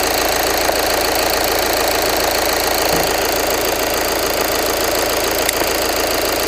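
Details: 2013 VW Jetta TDI Sportwagen 2.0 diesel idling just after an oil change with Liqui Moly Top Tec 4200 5W-30: steady, even injector clatter at constant speed, with nothing uneven or knocking. Normal healthy diesel idle.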